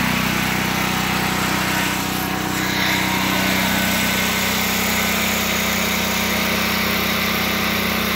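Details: Predator 8750 generator in a shed, over 2 years old, just before fuel shutoff and shutdown: steady, even hum at constant pitch, no knocks or misses; normal running.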